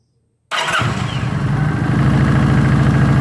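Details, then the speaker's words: 2019 Kawasaki Vulcan LT 900 V-twin at 6,000 miles, started after an oil service to cycle the oil: it fires instantly and settles into a steady, even loping idle. This is a healthy start. "So I'll go ahead and snug that up, and now we'll fire it up, let it cycle through."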